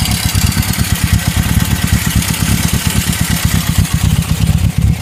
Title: 1972 Honda CB750 K2 engine knocking